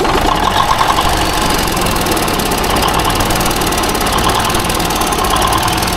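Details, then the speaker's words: Small-cam Cummins diesel, not run for several weeks, idling with vise grips on the throttle: fast, regular light ticking from the back of the engine over the clatter. Owner fears worn cam followers or wiped lobes; valve covers to come off, unconfirmed. "I'm gonna crank it up, take you over there, let you listen to the tick, and then we're gonna pull the valve covers off and do whatever."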